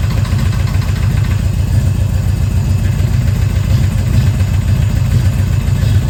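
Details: 1970 Chevelle just after big block swap, idling: light fast ticking over a lumpy V8 beat; owner suspects a lifter not pumping up or a rocker out of adjustment, engine smoking and stalling, not confirmed.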